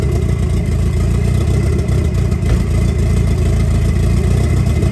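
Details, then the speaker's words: 1990 Eclipse GSX at first start after the intake manifold was installed and oil pressure was primed by cranking with the plugs out. Loud, steady low rumble with an even beat and no knock, tick or grind; runs smoothly. "Oh man, that's super exciting. Okay, so at least we got that out. We know the engine runs and everything."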